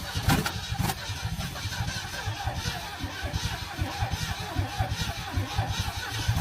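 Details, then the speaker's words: Old petrol engine on a recovery start attempt: catches and stumbles with irregular popping and uneven firing, throttle plates sticking; carburettor suspected of needing work, wasps possibly in exhaust pipe. ">> You got a little popping going on there."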